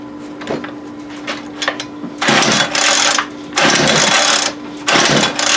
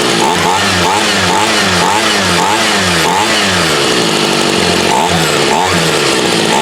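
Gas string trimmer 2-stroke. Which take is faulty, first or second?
first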